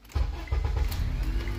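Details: 2005 Honda Accord after replacing worn ignition switch contact plate: brief crank, then the engine catches at once and settles into a steady, even low rumble; clean first-try start.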